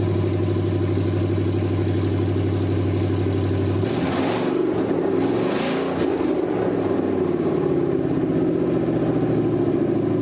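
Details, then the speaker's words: 1979 Ford Bronco with Gen3 Coyote V8 swap (2020 engine, 10-speed auto), low miles, first test fire on temporary bucket fuel feed, no coolant: smooth even idle with clean throttle blips, no stumble or rattle; normal idle and rev. "but this engine sounds fantastic it's got real low miles and I'm excited because I can start to wire it up permanent"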